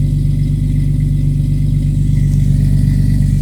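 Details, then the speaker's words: 1989 Jeep Cherokee XJ 4.0L (Renix) on a cold start at 11°: it revs briefly higher, then settles into a steady, low, even idle, no longer idling at 2,000-2,500 rpm, after the idle air control valve was replaced. "nice so it did the initial you know higher revving like a normal car would do and then came right back down so there you go"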